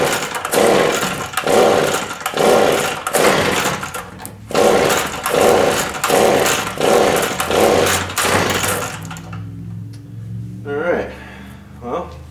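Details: Two-stroke leaf blower that wouldn't run, cold start with primer bulb: about eight sharp rope pulls, each a brief rasping turnover that dies without firing; the spark plug was later found rusty. No-start.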